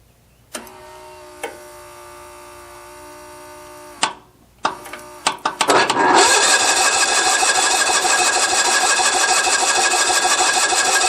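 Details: Mower that died while mowing, cranked on full choke: a few clicks, then steady cranking that never fires; fuel confirmed but the coil has no power because its feed wire has pulled loose, so no spark.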